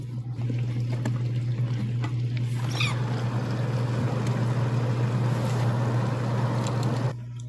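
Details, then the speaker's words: KitchenAid/Whirlpool dishwasher KDFE204ESS2, after replacing the wash motor for a not-washing-dishes complaint: steady low hum with soft swish of circulating water as the new wash motor turns the spray arms; normal wash motor running, no leaks. "right so we can definitely hear our wash motor running and rotating the spring arms inside of there so new wash motor can fix this unit"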